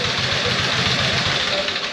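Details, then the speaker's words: 1914 Harley-Davidson single started with one kick; quick even low thumping with steady mechanical clatter, no misses, clean steady idle. "compression spark and fuel you know and you keep them well tuned and they tend to do what they're supposed to do"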